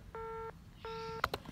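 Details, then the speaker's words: Engaged (busy) signal, two even steady-tone bursts, heard with test clips on the new jumper wire at the MDF A side on the lead-in cable; customer has no dial tone or internet, socket side tests within spec, so it's a network fault. "so I've got connected here my clips to the jumper water which runs over and goes down to the a side here which is on the leading cable and I'm just getting engaged signal"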